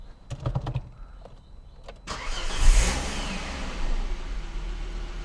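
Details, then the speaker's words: Volvo V70 after cylinder 5 misfire was traced to an ignition coil (misfire moved when coils 4 and 5 were swapped) and a new coil was fitted. Key clicks, then a quick catch and a smooth, even idle with no stumble. "wow that difference is huge let's go it actually runs so smooth now"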